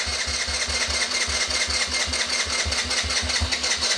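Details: Rebuilt nearly 40-year-old Yamaha Badger YFM80 ATV, first start after full rebuild, choke on: small single-cylinder engine catches and runs on its own with a fast, even putter and no knocks.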